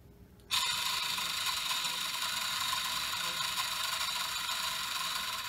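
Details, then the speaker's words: BMW S85 (2005 M5/M6) throttle actuator DC motor on bench after carbon cleaning: steady high gritty whir with fine ratcheting; still rough, owner suspects worn rear bearing, grease next. "doesn't sound any better so now we don't know what to do maybe the murder is just bad I don't know but there's a bearing in the back and it sounds like that noise is coming from that little bear"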